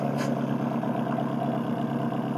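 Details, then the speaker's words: Nissan SR20DET in an S14 after rod bearing replacement and bleeding the ticking lifters, idling: even, steady exhaust note with a smooth low drone and no tapping or knocking; healthy engine. "Oh yeah, purring like a kitten."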